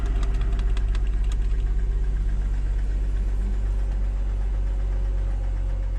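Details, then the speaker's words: 2007 Mercedes E350 4MATIC left parked after the owner heard a noise, jump-started at idle: hard, regular metallic knocking about four times a second; engine also burns oil with blue smoke. Piston knock from a scored cylinder. "As you can hear, the engine is knocking. So, I'm assuming this was the problem that made the previous owner give up on this car."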